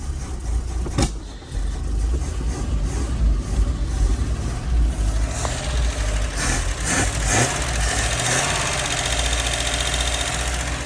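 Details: Toyota LN65 Hilux 253 V8 just started after a decade sitting, quiet exhaust, steady idle with light even ticking; a fair bit of valve train noise blamed on long storage.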